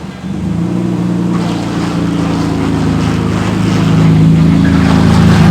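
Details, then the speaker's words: 1991 Nissan Skyline GTR R32, exhaust dented in an accident and partly cut away, muffler missing: loud, raw, droning engine note at startup and under way, swelling as it pulls, far louder than a muffled exhaust. "the accident, it dented the exhaust, so part of it had to be cut away. So I'll let you guys hear it on startup."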